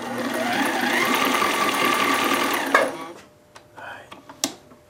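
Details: Sailrite LSZ-1 sewing machine with new WorkerB motor, sewing leather with speed turned all the way down: quick even stitching clatter about three per second over soft motor hum, stopping cleanly; normal sewing at low speed, good stitches.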